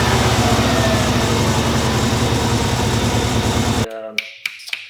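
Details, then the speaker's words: Subaru Legacy B4 RSK (BE5) twin-turbo at first start-up after sitting, fuel pump relay refitted: slightly uneven idle with steady accessory-belt whirring from a noisy AC compressor pulley, then shut off; owner expects the roughness to smooth out. "AC compressor pulley is making some noise, that is what you are hearing."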